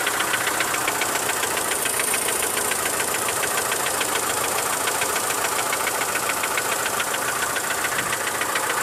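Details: Mitsubishi Lancer 9 1.6 engine knock: fast even ticking knock, three or four per second over steady idle; owner suspects middle hydraulic lifters, services suggested much up to engine replacement; unconfirmed.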